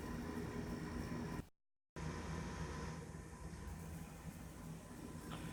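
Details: Forma 8351 12 cu ft −80°C ultra-low chest freezer, after repair, pulling down toward set point: steady, even low compressor hum with constant mid tone, no knocks or rattles; compressors running normally.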